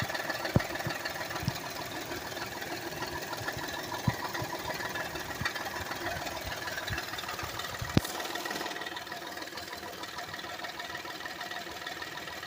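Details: 2008 Honda Accord EX V6 at steady idle with scattered, uneven sharp rattles over the engine hum; source not pinned down.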